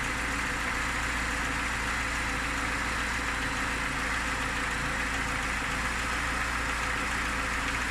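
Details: Lada Niva engine at idle: steady idle with a dull knock repeating under the engine note, unchanged throughout; owner asks what it is, cause unclear.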